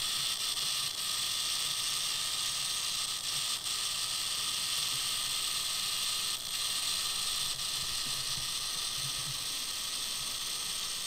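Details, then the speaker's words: Telechron clock motor from a 1951 GE clock radio, run at about 100 V drawing 70 mA: a faint, steady whir with a fine hiss and the second hand moving. It works, but the motor still needs fixing. "So, it fixes it running. I hear it turning. The second hand is moving moving. So, we we got a working clockwork."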